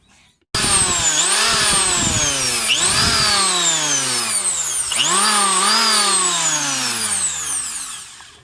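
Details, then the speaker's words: Electric planer after repair, belt reconnected: clean whine spins up sharply three times and winds down smoothly, no crackle or grinding; sparking gone, armature smooth. "yan guys hindi na siya nag-spark napaka smooth na ng pag-ikot ng armature niya"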